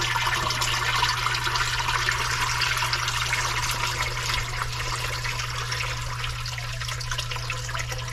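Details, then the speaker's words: Commercial sewage ejector pump just reassembled after a clog: steady low hum under constant hissing and splashing as the discharge pipe leaks through a rotted hole while pumping. "that's not good was just like a it's if you can tell it's rotted out I don't actually know the reason for the hole"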